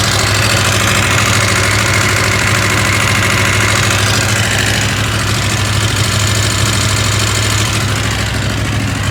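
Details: KTM 890 Adventure R twin idling with a steady low thrum and light metallic rattle on top; rattle gets a bit quieter when ridden, owner asks if normal.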